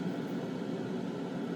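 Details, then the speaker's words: New spray booth exhaust fan dialed to half speed after full blast: steady, even airy rush with low hum, no knocks, rattles or wobble; not loud, runs healthy. "see how loud this new fan is that's full blast that's pretty quiet let's dial it halfway hey not bad"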